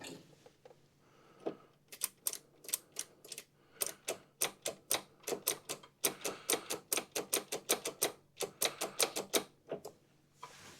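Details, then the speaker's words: Kohler Command Pro CV742 fuel shutoff (afterfire) solenoid on a Toro Z Master, tested by switching power: crisp clicks in irregular bursts as it snaps in and out cleanly; both wires work the same, operating normally. "This one is working exactly how it should. Each time it springs in and out. And both of these wires work exactly the same."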